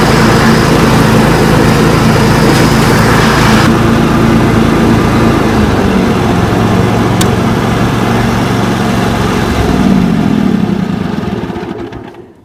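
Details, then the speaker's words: John Deere mower Kawasaki V-twin after replacing the ignition coil, spark plug caps and NGK BMR6A plugs, which had caused poor running especially with PTO engaged: starts right away, steady even beat, no misses, then winds down; normal running. "Wow, what a difference. Huge difference. I didn't realize how bad she was. Let's listen to her start up again. Now that is quite a difference."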